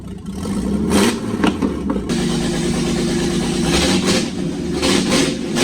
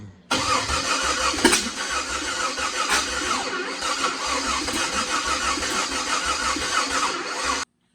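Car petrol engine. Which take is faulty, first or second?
second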